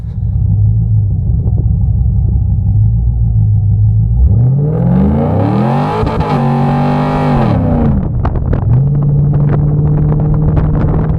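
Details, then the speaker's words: 2002 Chevrolet Camaro SS V8 revving hard under wheelspin with rising, wavering drone and rough rumble; drivetrain noise persists after replacing both universal joints, source unknown. "so as you can see guys it's still making that noise uh I have no idea what it is but uh replacing those universal joints never helped"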